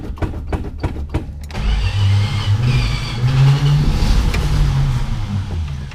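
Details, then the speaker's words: 1962 Plymouth Valiant, 170 Slant 6, pushbutton automatic, 63,000 miles, abandoned 20+ years and previously seized, running on old chainsaw gas. Slow cranking, then a lumpy, wandering run that never settles; timing is suspected to be way out. "well that sounded like it was doing [Music] something it runs but poorly so it might be the timing is way out"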